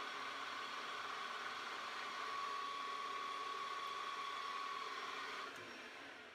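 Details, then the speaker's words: Hafco AL-336D metal lathe after repair from a feed crash (bent shaft, sheared shear pin), reassembled without the dial indicator and couplers. Even mechanical whir with a steady mid-pitched gear whine, then spin-down. Normal running. "all right I'll start it up now obviously it's gonna be noisy so say goodbye now see ya"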